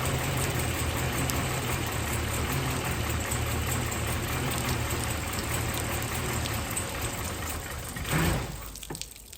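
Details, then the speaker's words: 1999 Chevy Silverado with a junkyard 5.3 V8, BTR stage 2 cam and new heads, first start in cold December weather; uneven, lumpy idle over a low rumble, then shut off. Rough running, cause not yet found. "oh it ran rough but it ran so I'm gonna go over some things real quick and see if we can get it to run right"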